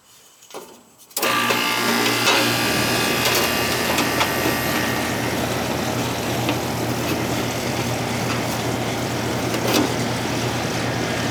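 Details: AC condenser that would not run, after replacing bad contactor and bad capacitor: kicks on after a second, settles into steady low hum with fan rush, smooth and even; running normally after repair.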